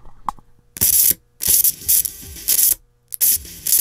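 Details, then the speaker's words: Pioneer SX-980 receiver playing music, volume knob turned one click; sharp hissy crackle bursts with silence between; left channel dead, right okay; controls appear to need cleaning. "let me get you on the controls so you can see what i'm doing when it makes these noises okay here's the volume control and here i'm just going to turn it up one click"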